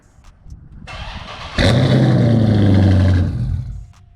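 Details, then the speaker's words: Dodge Charger/Challenger remote-started with a newly installed remote kill switch set: quick crank catches cleanly into a strong, even idle that holds steady. Normal engine start. "I'm gonna spare my neighbors. It still remote starts, right?"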